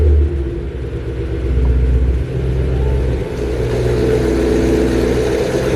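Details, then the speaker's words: BMW E90 M3 V8 startup in shop before plug and injector service: deep, loud rumble catches and settles into fairly steady idle with strong exhaust note, described as pretty loud but sounding good. Normal idle. "First, do a little startup cuz uh this car sounds pretty good. It's a little loud for me, but I think it sounds pretty good and some of you guys would like some uh sounds."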